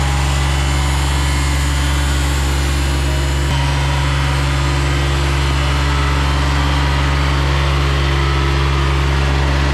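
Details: Ransomes Jaguar 4000 diesel commercial mower from the 1980s–90s, restored after 20–25 years in a junkyard with the hydraulics rebuilt, started after glow plug heating. It gives a steady, even diesel idle with a deep, constant drone and no knocks or misses. Normal diesel idle.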